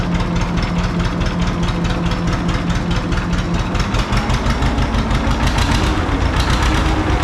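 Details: John Deere 530 old two-cylinder tractor idling in winter, not run since hay-wagon use after a no-start with a shot battery; slow, deep, even pop-pop with no knocks or misses: healthy normal idle.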